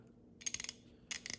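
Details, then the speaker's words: Vintage ratchet before maintenance: two bursts of sharp, uneven, gritty metallic clicks as the handle swings; very noisy in one direction and slips in the other. Owner suspects the gears may be destroyed. "So one end works very noisy, and then if you switch the other way, it just slips."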